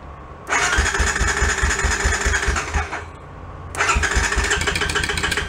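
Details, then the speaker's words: Honda Sport Trac ATV, cranked by jumping the starter solenoid with a screwdriver, choke on, reverse lever unhooked: two spells of steady starter whirring with even compression chuffs, never catches; cranks but won't fire, suspected switch not on. "I feel like we got something not turned on. Damn it. Yeah. Not sure. I'm going to look for a switch."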